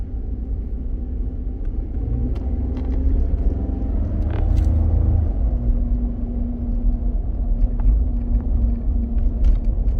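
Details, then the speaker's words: Ford F-150 pickup driving on the road with a dead right-front wheel speed sensor: deep rumble with a steady droning hum underneath from a bad front wheel bearing/hub. "hear the wheel bearing definitely got a bad wheel bearing up front"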